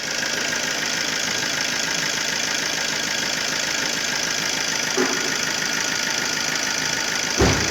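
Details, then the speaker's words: Opel Corsa 1.3 diesel after exhaust manifold gasket leak repair, idling: steady, even clatter with no whistle or hiss; sealed and normal. "şu anda çok şükür sorun yok bir tam gaz verir misin abi ses soluk yok gördüm ben arkadaşlar"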